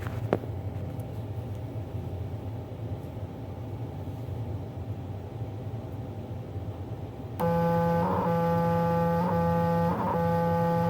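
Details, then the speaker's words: CNC stepper motor driven through a breakout board by Mach 3: silence, then steady low buzz with soft pulsing bursts about every second, energized but not turning; owner suspects wiring hooked up wrong. "Everything's powered on. But it makes a real strange noise when I try turning it."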